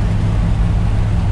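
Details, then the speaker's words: RV after a new fuel pump fixed a no-power problem and a new exhaust, cruising at 50 mph on Route 66. Deep, throaty hot-rod-like exhaust drone, steady, no misses, taps or whines; running smoothly. "because i ain't never heard an rv with a kind of a throaty sound like that doesn't sound like an rv sounds like something that uh a little hot rod"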